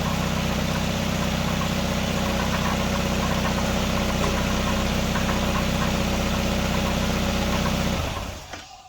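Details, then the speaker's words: 1999 Nissan Sentra 1.6 after EGR delete and new headers installed, burning a little oil: smooth, even idle with a steady low beat, no ticks or knocks, much quieter than before, until shut off. Normal idle. "Oh man, that sounds so much better. Heck yeah. Heck yeah."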